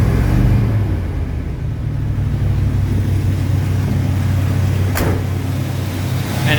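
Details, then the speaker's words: 1977 Ford F-250 Dentside 4WD V8, revived after sitting 15+ years, after its fuel pump was repaired. A deep, steady rumble holding an even idle, a little rough in tone, but running fine on its own. "as you can see she's running fine now she may not be the cleanest sounding vehicle right now but that's some project for later on"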